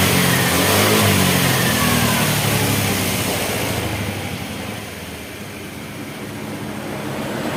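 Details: Honda Vario 110 carburetor scooter after repair: engine revs up strongly, eases down and picks up again evenly, with no misfire; the sputter is gone, having been caused by no charging and a flat battery.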